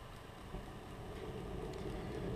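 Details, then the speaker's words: Burner heater at startup after purge, oxygen sensor removed, troubleshooting failed ignition: faint quick ticking about four per second; fuel pump pulsing normally. "You can now hear the fuel pump."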